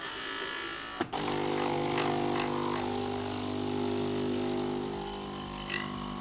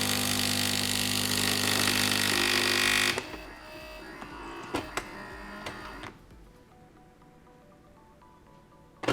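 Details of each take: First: Philips LatteGo espresso machine after replacing four O-rings, startup heating then rinse: a click, then pump settles into a steady hum with faint buzz, no sputtering, water flows; normal startup rinse after repair. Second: Philips LatteGo espresso machine, pump inlet hose pinched to simulate fault: harsh loud buzzing pump bursts, two or three tries with quiet gaps then error; pump running dry, cause failed or clogged flowmeter or blocked intake.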